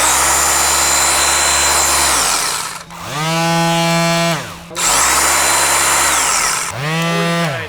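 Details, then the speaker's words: Old Sears vibrating pad sander running: steady high-pitched motor whine with even buzz, winding down smoothly when switched off and spinning up cleanly again. Sounds as a sander should; healthy. "look at the size of that dust for that's what a sander should sound like"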